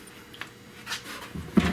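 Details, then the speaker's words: Car door freshly rehung after bodywork, swinging with a soft tick then a sharp pop from the dry hinge, which needs greasing; dry door hinge popping. "needs to be greased up guys so if your door is popping guys don't don't let it you know keep messing around and staying like that"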